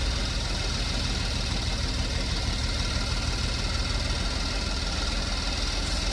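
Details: 2015 Porsche Macan, first start after timing chain replacement: steady, even idle with smooth low hum, no knocks or ticks; no check engine light, slight mist and minor coolant leak noted; normal idle.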